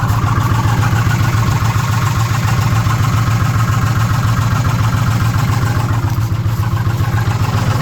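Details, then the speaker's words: 2006 Ford F-150 5.4L V8 with code P0016, bank 1 noise, warranty inspection: rough idle with a steady tapping of about three or four per second, located around cylinders 2 and 3. Valve train noise at idle. "In the valve train up top. And somewhere in this area, so 2 and 3. That's just, I mean, that's about where the noise is comi"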